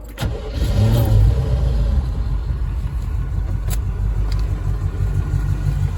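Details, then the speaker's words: Chevy V8 swapped into Range Rover Classic, IMPCO 300A mixer with vaporizer, HEI ignition, coated headers, warm, no choke; quick crank, catches cleanly, deep steady even idle, no knocks, lower and heavier than Rover V8 — normal start and idle. "Sound wise, it's pretty close to the Rover. It just lower tones, runs heavier. It's like an obese Rover."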